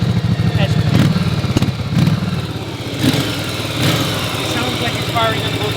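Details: 1981 Yamaha Virago V-twin idling after a short ride, left running to drain the carburetors; steady low loping idle with even beat from both cylinders, no misses or knocks, healthy.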